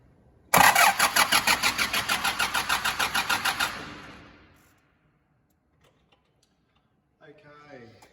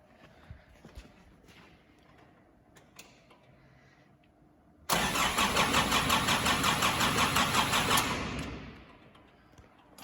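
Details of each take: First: 2005 Nissan Navara D22 diesel, crank-no-start after timing chain and injector pump replacement: fast even cranking about three pulses a second with a shrill whine and no catch; the starter is drawing up to about 400 A. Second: 2005 Nissan Navara D22 with a crank-no-start from electrical interference, new timing chains and injector pump, cranking with the injector pump disconnected: even, strong cranking pulses around 170 a minute; normal cranking.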